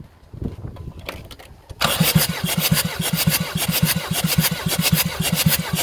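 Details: Jeep Liberty CRD diesel after top-end rebuild, glow plugs out, compression test on cylinder 3: quiet lead-in then steady even cranking pulses with no weak strokes; reading about 300 psi, healthy.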